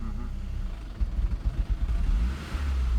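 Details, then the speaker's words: 2002 Saab 9-3 SE after head gasket replacement, idling about 900 rpm: on throttle the engine bogs, dips near 500 rpm with lights dimming, then revs late, repeating regardless of pedal travel, sometimes stalling; cause unknown. "and it's revving like it's a delayed rev yeah so it's bogging and then rev and it repeats that over and over"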